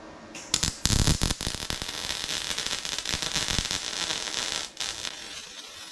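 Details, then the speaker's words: Welding fender aprons to the firewall on a 1968 Mustang fastback: crackling arc with sharp irregular pops and spits from Rust-Oleum paint left on the metal burning out. "You know, you hear that little bit of popping. That's my fault because I got a little carried away with Rustoleum and got it on that surface and I shouldn't have done that. But it burns it out."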